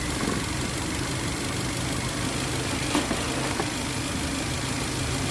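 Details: Toyota Avanza 1.5 G that had a crank-no-start fault with codes P1604 startability malfunction and U0167: steady, even idle with no misfires, stumbles or knocks under the hum; runs smoothly, normal idle.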